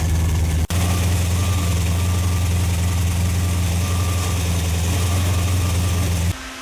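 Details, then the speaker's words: Rebuilt Ford FE 390 V8 with mild cam, fuel-injected, cold start: deep steady burble at even idle, no knocks or misses; normal idle. Slight chatter noted, owner suspects starter Bendix gear-to-flywheel clearance. "Well, guys, still sounds really good. I mean, I can't complain. Started right up. Just sounds really good."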